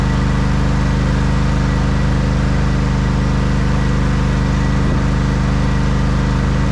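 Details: 1989 Craftsman mower jump-started: a single-cylinder engine thumps along at a steady, even pace with no misses; it runs well, though it wants to stall on throttle-up and may need tuning.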